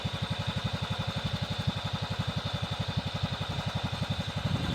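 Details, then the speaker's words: Cub Cadet 2130 garden tractor, revived after a fuel pump replacement, carburetor rebuild, choke and brake-switch wiring repairs; a little cold at about 35°F, warming up in neutral; steady putter about four beats a second, transmission/clutch whine, no knocks; normal idle. "what you're hearing that wine is the gear system or the clutch system on the transmission she's good to go little cold it's about 35° out right now I'll let her warm up a little bit"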